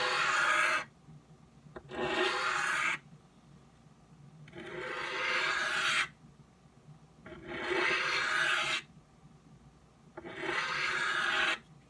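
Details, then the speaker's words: Knife on the fine side of a 12 in Norton India/Crystolon three-sided bench stone, correct angle and light pressure: even, smooth rasping strokes about one every three seconds, steady and consistent, edge nearly finished. "once I've got my angle right now the pressure I'm using here I'm using light pressure"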